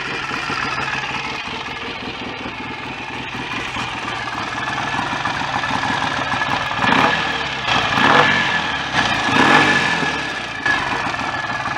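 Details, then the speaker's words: BSA A65 twin after engine rebuild, probably correctly timed, starts easily: tick-over unevenly wavers and hunts instead of holding an even rhythm; erratic idle, very sensitive to the mixture screw. "mine is starting and running really nicely um probably just give it a kick and it'll just go into a tickle but the tickover's a little erratic and I know this is very sensitive to the mixture screw"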